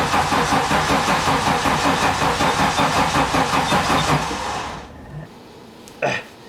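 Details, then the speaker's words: 1987 Audi 5000CS turbo that sat 20 years in a field, starter spinning the engine steadily for about five seconds in neutral without catching; engine not seized, fuel pump reportedly not working; crank no start, cause not confirmed. "Neutral. >> Good check. Woo! The engine's not ceased."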